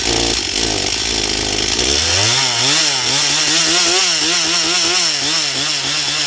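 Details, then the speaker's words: Stihl MS241 C chainsaw with computer-controlled carb, after Seafoam and air filter refit, dull chain: climbs to a high steady scream held through the cut, dipping only with load; normal full-throttle running, starting still the problem. "But uh at least now it will cut. And it runs seems to run. It runs great on the high side."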